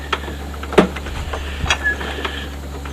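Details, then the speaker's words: 1982 Honda ATC200 three-wheeler, engine off: irregular dry crunchy clicks as the rear wheel is turned; chain looks rusty, owner unsure whether the crunch comes from the chain or the rear bearings. "chain is a little crunchy I don't know if it's a chain that's crunchy or the back bearings"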